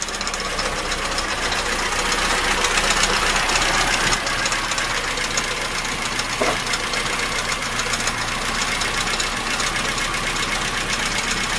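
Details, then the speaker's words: VAZ engine, cold, mic at the front: a steady light knock about four per second; owner suspected a valve (it eases when warm) or the oil pump drive bearings, and experts' water pump guess was ruled out; the crank pulley visibly wobbles and may knock. "Смотрите, как блок болтается, шкив. Вот этот может тоже давать стук, да?"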